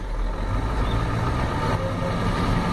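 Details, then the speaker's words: 1993 Ford F-250 7.3L IDI diesel with new injectors, O-rings and fuel return lines and tested glow plugs: rough, heavy running with an uneven low chug, misfiring badly, smoking and shaking. Owner wonders if the untouched injection pump is the cause. "and you can listen to it it misses really bad see what you think of it here oh"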